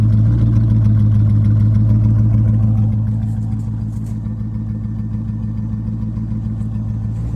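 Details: C5 Corvette V8: idle with an uneven, lumpy pulse and a slight dip partway through; rough idle, cause not clear.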